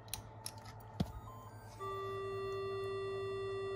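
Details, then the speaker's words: Minelab GPX 4500 metal detector under repair after a short circuit, still not working; a few clicks at switch-off, then a steady low droning tone that holds without change; it faults on shutdown, and the owner suspects damaged Mylar film. "now this thing's making stupid noises so that was short circuited but this isn't working still because when I turn it on I'll turn it off and we'll just listen to make that uh low tone"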